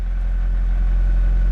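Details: 1994 Acura Integra with crank-no-start, running after fuel pump replaced and plugged back in; smooth even low idle with steady beat, no stumbles or misses; normal idle.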